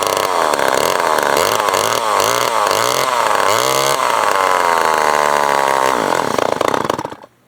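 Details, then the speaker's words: Old Remington SL9 two-stroke chainsaw being revived: blips up and down in short bursts, then holds a high, slightly wavering scream. Running unevenly; carburetor suspected of getting too much air and may need adjustment. "Sort of carburetors definitely probably have an issue. Going to have an issue. Might be getting too much air right now. Too much air."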